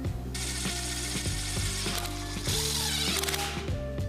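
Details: Suzuki gearbox after drivetrain restoration, reassembled with bell housing, shift mechanism and mounts, before clutch and engine fitted: crisp evenly spaced clicks as each gear is selected over low hum; gears engage cleanly, normal.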